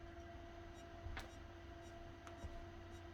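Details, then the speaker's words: Old Seagate hard drive in Pentium 4 PC on Intel D915GAV board, at power-on: steady drive whine, moaning, with sharp clicks about a second apart while trying to boot Windows; drive suspected failed. "I think that hard drive failed. You can literally hear it moaning. Oh, it busted. It's trying to boot."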